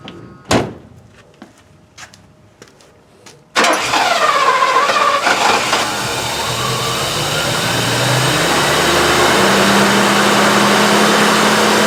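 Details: 1984 Euro Mercedes-Benz 500SL V8 with a no-start fault, after its relay's broken cold solder joint was repaired: faint clicks, then the starter catches and it fires cleanly into a smooth, rising steady run; healthy start.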